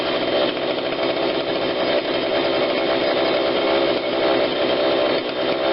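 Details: Husqvarna 142 40cc chainsaw, long unused, after repair and carb tune-up while warm: steady clean high-rev scream at even speed without surging or four-stroking; low-speed adjuster untouched, seemed not needed; normal high-speed running.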